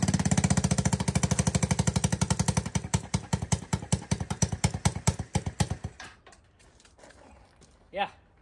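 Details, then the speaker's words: ATK 125 go-kart single-cylinder with no muffler yet: loud, sharp popping that starts fast, slows, turns uneven and dies out. Carburetor no longer leaks. Owner suspects a loose intake from hammering. Rough running, loud exhaust. "she's pretty loud. That's okay. We're gonna fix that."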